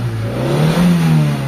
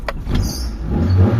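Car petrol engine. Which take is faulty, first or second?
second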